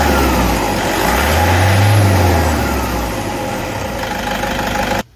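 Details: Toyota D4D diesel running with steady chatter and a faint thin ringing tone over it; identified as idler pulley noise.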